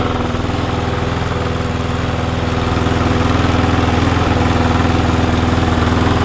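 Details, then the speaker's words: Cheap, never-used mower with secondhand carburetor springs, 15-minute test run after initially smoking and spitting water and debris from the exhaust; steady, even single-cylinder putter at constant speed with no misses or surging, running normally. "okay as you can hear in the background that little lawnmower is now on its test I'm gonna run it for about 15 minutes solid"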